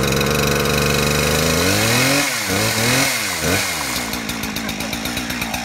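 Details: Two-stroke chainsaw deliberately flooded with the choke, then choke pushed in and throttle held to start it: it screams at high revs, dips and recovers through a few blips, then settles into a steady popping idle; running normally.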